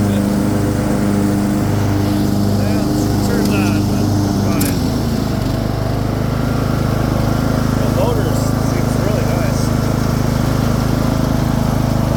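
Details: Craftsman II lawn tractor with a swapped-in newer engine and a bad key switch: steady, even single-cylinder idle with a slight pitch drop midway, no knocks or misses; sounds healthy.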